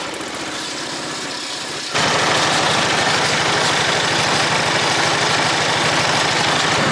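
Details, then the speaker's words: Toro Z Master 5000 mower engine: catches then runs with a hard, rapid rattling knock about four a second over idle; oil level checked and fine; knocking noise, cause unknown. "Wow. Something sounds like death on this. It sounds nasty. I don't know what that is. Phew. I checked the oil on it. I mean, it's got oil. It sounds like it's knocking bad."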